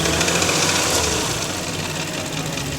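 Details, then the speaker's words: Porsche Macan bought at auction with an engine fault needing engine removal: fast metallic rattle and tapping over the rising note when revved, not immediately obvious, seeming to come from the passenger-side right corner. "So, that was the rattling they were talking about. And although it's not really bad, the engine still runs and it's not immediately obvious."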